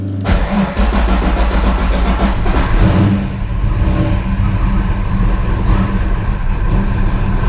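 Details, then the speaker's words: Ford Fox Body cranking with a multimeter connected, lowest reading 7 volts: long, heavy, labouring crank with no clean pickup; low voltage during cranking drops the MSD ignition box and fuel pump controller below their thresholds, shutting them off, so no-start. "That's my problem. So the lowest voltage I saw there was 7 volts, and the"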